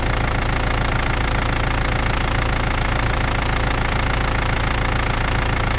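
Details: BMW E39 with M47 diesel engine, cold: steady diesel idle clatter with a faint high chirp repeating about twice a second from the engine front; squeak at cold idle.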